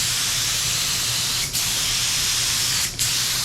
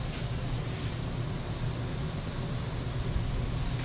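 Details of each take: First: DeVilbiss FLG4 paint spray gun, after acting up with paint suspected too thick or clogged: steady even atomizing hiss with no sputter; no more spitting, clog apparently dissolved. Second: Paint spray setup with DeVilbiss FLG4 gun: constant sharp high hiss swelling slightly, air leaking from a faulty air regulator. Air regulator leak.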